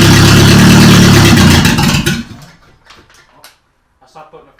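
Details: Toyota Corolla engine just reinstalled and reassembled, after a bad starter ground was found: runs with an even, steady low beat for about two seconds, then goes quiet; running normally after reassembly.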